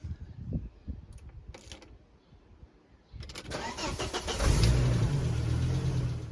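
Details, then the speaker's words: 1997 Volvo V70 T5, 5-cylinder turbo, manual: cranks, fires for a split second, then dies; owner believes the chip in the key carrying the remote fob has failed and is not communicating with the ignition antenna ring, so the immobiliser prevents starting. "the engine will kind of go to start. It'll sound for a split second like it's going to start, but then it won't, and then it'll die."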